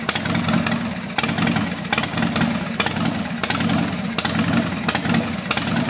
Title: Sporty wont start.